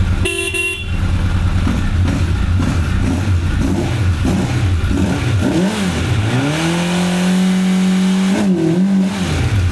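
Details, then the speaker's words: 1985 Honda CB1100F four stored about 20 years, after carb clean, air filter removed, choke stuck open: blips rise and drop straight back to a steady idle; owner notes bucking around 6,500–8,500 rpm. "And at least goes straight back to idle."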